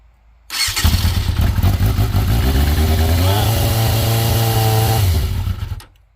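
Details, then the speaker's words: 1996 Yamaha FZR600, first start after being backed into, gas tank nearly empty: starter catches quickly, brief rev, then steady even idle before shutoff; normal start and idle. "woo she sounds good all righty well she's running again guys"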